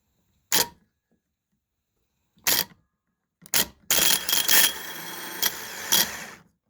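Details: Starter from a 2013 Acura MDX, power jumped by pliers: three sharp single clicks as the solenoid snaps in, then the motor spins up to a steady whine; normal starter solenoid engagement.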